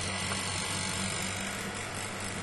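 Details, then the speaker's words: Roof-mounted 10-foot home wind turbine in gusts of about 10–25 mph, producing about 5 amps: low, steady buzzing hum with slow throb through the house, from blades unbalanced after installation that morning. "you can hear the vibration because the blades are out of balance"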